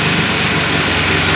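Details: Carburetted car on a second-generation LPG system, reducer warmed up, during reducer adjustment. The idle is loud, uneven and lumpy, and the rpm drops until the engine stalls, consistent with the reducer set too lean. Finding: rough idle from a misadjusted LPG reducer.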